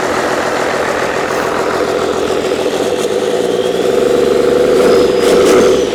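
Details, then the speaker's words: Old 12-valve Cummins diesel, stored almost a decade, first start after freeing a seized fuel solenoid: steady, even idle clatter, no knocks or misses, then a light rev blip; not much blow-by. Normal idle. "come on I don't know runs pretty nice doesn't have real bad Bob by either"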